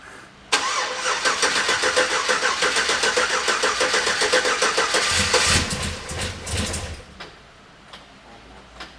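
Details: Old Chevrolet Silverado, first start after installing a new crate V8 engine: a quick crank, then the V8 catches and settles into an even, steady idle for several seconds before shutoff. Healthy start and idle.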